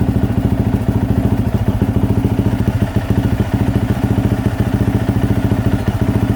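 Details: 2024 Yamaha YZ450F after overheating that melted the plastic water spout, idling with drain bolt out while flushing coolant with water: even, steady thumping idle with regular beat, no knocks or misses; healthy single-cylinder.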